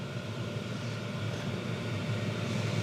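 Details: Chinese diesel heater in greenhouse, working after two replacement fuel pumps: steady even low roar with soft fan rush, no misses or sputters, no exhaust smoke, putting out hot air; running cleanly.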